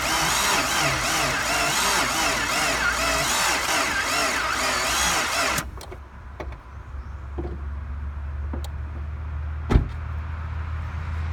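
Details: PT Cruiser that will not start: about five seconds of rhythmic cranking with no firing; owner suspects lost cylinder head compression from valves not sealing, the head gasket having been replaced, and the battery had been sitting a while.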